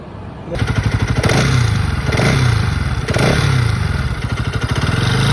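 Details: Bajaj Pulsar NS200 BS6 engine, also leaking engine oil from the cylinder head: fast, uneven metallic rattle over the single-cylinder idle beat, swelling with each throttle blip; source unclear.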